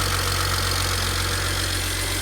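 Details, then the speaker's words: 2007 BMW 335xi N54 with 135,000 miles, idling after turbo replacement, first run in about four months: smooth, steady, even low rumble with no knocks or whistles. Normal idle. "all right guys there you have it it runs this car hasn't been started in about four months as I've been working on it"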